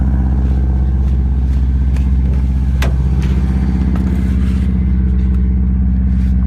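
Steady cold idle carries a rhythmic clatter about four times a second over a deep drone; the source is still undetermined.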